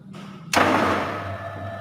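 A single sharp clack as the contactor pulls in, then a steady low electrical hum from the motor: normal start.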